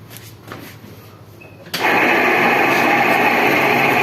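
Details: Window AC fan motor switched on; quiet, then a loud, harsh, rough raspy whirr from worn fan motor bearings, cooling otherwise fine; the motor is to be opened and its bearings changed.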